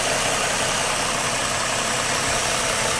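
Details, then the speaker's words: 2013 Ford Mustang V6 Premium, 38,500 miles, stock except a permanent air filter, heard at the engine and exhaust. Steady, even idle with soft injector tick, no miss, knock or belt chirp; engine sounds healthy. "yep very quiet very nice just listen to the exhaust and i i guess there's really not much to hear but uh there it is"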